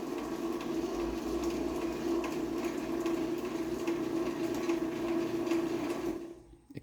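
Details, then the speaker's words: Stanley/Vemco TT200.A05 one-piece-rail garage door opener running; quiet, steady motor hum with faint squeak from the front of the rail needing lubrication; normal, very quiet operation. "quiet and you can even kind of hear the play at the front squeaking a little bit I'm going have to lube that some but yes very very very quiet opener I love it"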